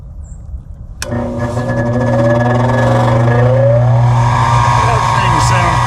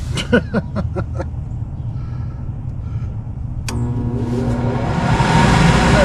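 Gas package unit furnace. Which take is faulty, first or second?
first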